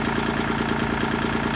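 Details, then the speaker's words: Kubota tractor loader control lever with the diesel idling, after an O-ring isolator was fitted under the top joint washer: a light, fast buzzy chatter remains, suspected to come from the lever arm. "i'm still getting a rattle and i think it's from this arm right here"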